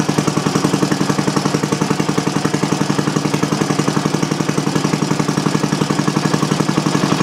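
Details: Single-cylinder Briggs & Stratton on bench with new Champion J8C plug and external coil, not warmed up: steady even putt about 220 beats a minute, no misses or knocks; normal running.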